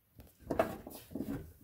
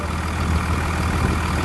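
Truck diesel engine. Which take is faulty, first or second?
first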